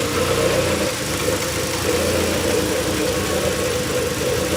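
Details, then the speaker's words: Toyota Altezza with rebuilt 3SGE Beams engine, first startup after fixing a disconnected intake-manifold ground that caused EFI relay buzzing and no-start: even, steady idle with smooth low cammy pulse, no knocks, ticks or misses; runs healthy. "Oh my god, it runs. Listen to that, bro. Oh my god. Oh my, yo, listen to that low. Sounds cam."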